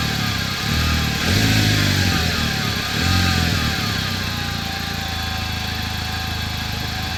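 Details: 2009 Chevrolet Cobalt SS: a thin whine over the engine climbs in pitch as it revs, then settles with the idle; whining noise, source not pinned down.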